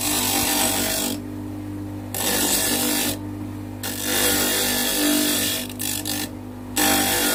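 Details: Homemade bench grinder, table-mounted, grinding an angle: motor hums steadily while bursts of harsh scraping come and go as metal is pressed on the wheel; grinder running normally.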